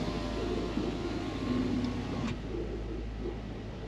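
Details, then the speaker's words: Land Rover LR3/Discovery 3 with the 4.4L V8 gasoline engine, started and driven right after a transfer case fluid change to Quicksilver SAE 90 marine gear lube. Steady, smooth low hum with no knocks, whines or grinding; running normally. "There we go. 20% off. She is running very nice actually, as it is right now."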